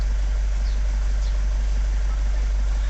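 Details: Vauxhall Vivaro van (same as Renault Trafic/Nissan Primastar) diesel that cranked but wouldn't start after clutch replacement, with oil pressure fault and no engine ECU communication; after restoring ECU power supply with a 30 amp fuse it starts straight up and idles steadily, evenly, no knocks.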